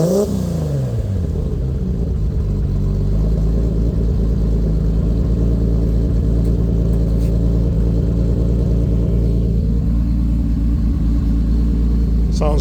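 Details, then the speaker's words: Lexus IS300 with swapped 2JZ-GTE turbo six, Fueltech FT550 base startup tune, first start: revs fall cleanly from a blip into a deep steady idle with no stumble, misfire or rattle, no ECU alerts; normal free revs. "pretty good if you ask me and everything is dialed in we don't have any alerts or any [Music] statuses"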